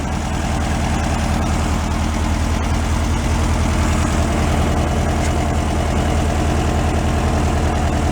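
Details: 1968 VW Beetle air-cooled engine, sat 5 years and still on old fuel awaiting change, at settled idle: even, steady low putter with no misses, knocks or hunting; running sound and smooth.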